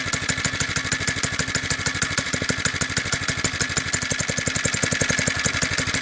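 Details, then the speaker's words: Doodle Bug DB30 single-cylinder minibike idling after a couple of drops of 30W oil on the clutch: a quick, even putter with no grabbing, chatter or stumble. Needs oiling about every 3-4 hours of running. "yeah so no more grabbing so it seems to be every three or four hours it needs a couple drops of oil"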